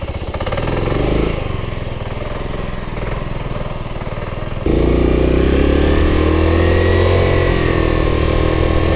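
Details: 1984 Yamaha Riva 180 scooter after cleaning and rebuild: uneven cranking chuffs, then it catches and settles into a steady idle on its own. It runs fine, though it still needs a new air filter and tends to want to die when the handlebar is turned.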